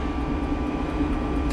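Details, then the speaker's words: Diesel cabin heater on a Jeanneau Merry Fisher 895 boat, heard from the lazarette: steady fan drone with a faint even tick about four times a second from the diesel fuel pump, pulsing as it draws fuel from the tank; normal. "if you just listen you can hear that ticking noise that's the uh diesel pump there which is ticking and you can put your finger on it you can actually feel it pulsing which is always a good sign because that means the diesel is being piped through from the tank"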